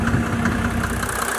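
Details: 1987 Mercedes-Benz 300D Turbo diesel (603 engine) idling on Liqui Moly diesel purge fluid, tank bypassed; steady even clatter with no misses or lope; normal diesel idle.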